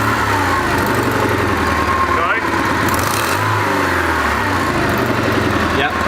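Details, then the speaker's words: Car just given a full service with new spark plugs; rough, raspy puffing chuffs that grow harsher as revs rise and fall; bad exhaust leak found up at the exhaust manifold, so the whole exhaust must come off. "next problem we got is an exhaust leak which is quite bad and we think it's the manifold"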